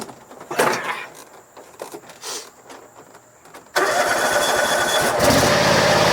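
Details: John Deere X540 twin, crank-no-start from no spark after sitting about a year, fixed by replacing two failed ignition coils: a few clicks, then it catches and settles into a steady, even run; normal running.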